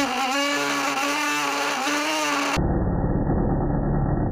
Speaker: here we can see the caliper actually vibrating back and forth as the rim rolls forward much like the string of a violin resonates when the bow moves across it